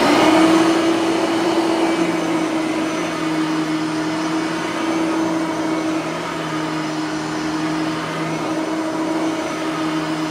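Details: Bissell 3510-9 (9 amp) upright vacuum after greasing both brush roller bearings; smooth steady motor hum, constant mid-pitch, no scraping or rattle anymore; normal running.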